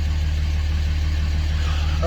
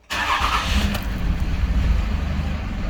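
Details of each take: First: 2006 Dodge Ram 2500 Cummins 5.9 diesel, 225,000 miles, warm day: steady smooth idle around 700 rpm, down from 750 before, within range; normal idle after replacing the fuel control actuator (AFC) to fix hard start and stalling. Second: 2006 Dodge Ram 2500 5.9 L Cummins diesel, 225,000 miles, hard to start and stalls; after cranking it catches, then hangs at a low, lumpy, uneven idle around 400–500 rpm before slowly reaching 750. Sticking fuel control actuator suspected.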